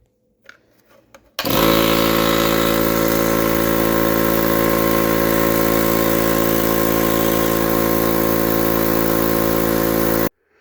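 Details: 20-year-old Contractor's Choice 5HP 22-gallon vertical air compressor, first test after repair with a new manifold and pressure switch and rewired line, neutral and ground: starts cleanly and runs with a steady, even drone, no knocking or stalling.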